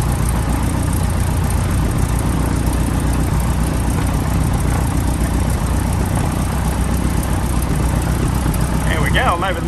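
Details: PA-18 Super Cub Lycoming O-320 first start after reassembly, idling: steady, even low drone with no misses, surges or knocks; oil pressure came straight up into the green, healthy idle.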